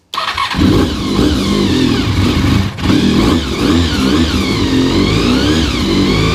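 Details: Honda RC45 RVF750 V4, first start after new spark plugs (old ones very bad) and injectors tested leak-free: fires instantly, clean crisp revs rising and falling smoothly, no coughing or popping; healthy.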